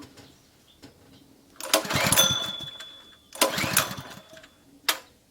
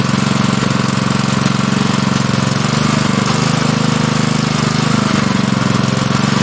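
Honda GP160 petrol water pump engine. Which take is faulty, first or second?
first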